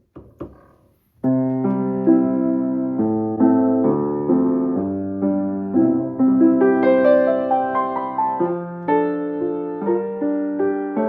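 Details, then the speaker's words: Old Brasted London upright piano after repair: the pedal bolt/screw was moved to give clearance from the wood and tightened. Clean sustained chords with the pedal in use and no rubbing, squeak or thump; the earlier pedal noise is gone. "So, the pedal is working, no sound when I put it up and down like it was before."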